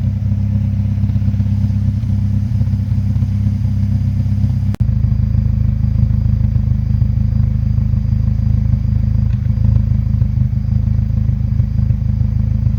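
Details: Mazdaspeed3 at idle: steady low idle with a slightly uneven pulse and a brief dip partway through; mild rough idle, cause not yet found.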